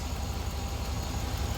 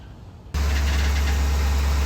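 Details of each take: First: 2004 Chevy Silverado 6.0L V8 idling after an engine oil flush and oil and filter change: smooth low steady rumble, the former ticking/tapping noise gone, quiet. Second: Chevy Silverado, 6.0 L V8, started and idling: a light, fast ticking or tapping over the low rumble, heard before an engine flush treatment. Owner suspects lifters gunked up from infrequent oil changes.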